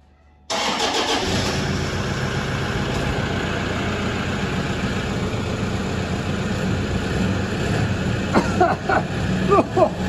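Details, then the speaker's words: Nearly 300,000 km diesel, not started for 2 months: it catches immediately and settles into a steady clatter without misses or knocks. A clean start after storage. "engine hasn't been started for 2 months let's see how much smoke it"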